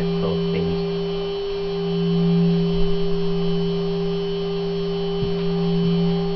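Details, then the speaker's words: Higher-quality 3 kW water-cooled Chinese spindle with better bearings, after stepping 6,000 to 24,000 RPM: clean steady high whine holding constant pitch at full speed, no rattle or grinding. Normal running. "so starting with 6,000 that's 6,000 now going to 12,000 now 18,000 and finally 24,000 RPM that's now running at"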